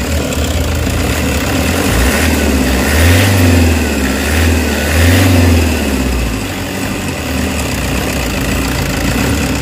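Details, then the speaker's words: Toyota Hiace diesel with throttle delay, low power, weak on climbs and occasional stalling, code P0093, before treatment: rough idle, then two sluggish rev rises that barely climb before falling back; throttle delay and low power. "Pag ginanyan mo, low power siya. Total delay, no? Total delay, oh."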